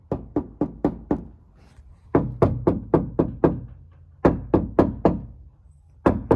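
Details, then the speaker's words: Door of a 2020 Mercedes-Benz Sprinter 2500 4x4 (Winnebago Revel) knocked by hand after adding strips of sound deadening: several firm, dull, short knocks with no buzz or rattle; the panel is damped. "all right so i've got some ins uh sound deadening in here um just some strips here and there we're gonna do that same knock again and we're knocking right here"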